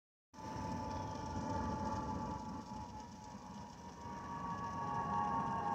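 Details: Delta Airlines Airbus A319-114 N352NB, flight DCA-DTW, in cabin: steady FOPP whistle over constant cabin roar, pitch unchanging; normal for this aircraft.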